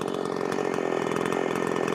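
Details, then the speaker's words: Makita 5600 (Dolmar-built) chainsaw free-revving flat out, tuned slightly rich at about 13,200 rpm (spec said 13,800, seems rev-limited): steady smooth high scream, no surging or bogging; healthy. "I could probably Crank It Up more but I don't want to I don't want to run I'd rather it run a little bit fat so 13-2 I think is probably good"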